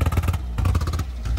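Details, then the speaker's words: Fiat 500 in for a dead battery: idling petrol engine chuffs unevenly, stumbling and skipping with a bad misfire, no throttle response, revs fluctuating; melted plastic found in the engine bay. "that misfire sounds bad. And also, we haven't got any throttle."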